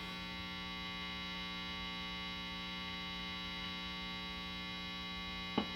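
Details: Vintage Fender Telecaster neck pickup after checking all grounds, amp at full volume: steady mains buzz with knocks coming through as loud thumps; pickup still microphonic, to be wax potted.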